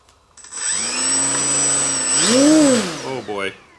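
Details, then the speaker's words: Galloping Ghost RC plane with an upgraded PRO electric motor, bench-run on a table after fixing a cowl rub. A clean electric whine climbs, peaks and falls smoothly with light throttle, with no scraping or ticking. The motor runs freely. "that thing has pull i can tell already just a tiny bit of throttle that this thing's going to be nuts"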